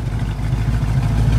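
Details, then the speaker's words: 1976 Ford Bronco original survivor, V8 with electronic ignition, no smoke. A deep, steady low rumble with an even beat and no misses or knocks: a smooth, healthy normal idle. "can't get over this little Bronco even sounds good"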